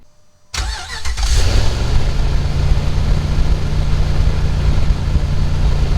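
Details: Dodge Ram after fan clutch replacement, belts checked, no shaft play: starter catches within a second, then a steady even low idle with no knocks, rattles or fan roar; normal start and idle.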